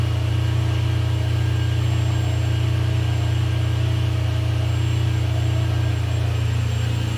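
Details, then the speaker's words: Ferrari 456GTA V12 idling after a major service and radiator and oil cooler reinstall, with cooling fans running and climate control off: smooth, even, steady rumble with no knocks or ticks. No faults are stored and it is running cleanly. "So the car is running great. You guys can hear that the cooling fans are running and I actually have the climate control turned in the off position."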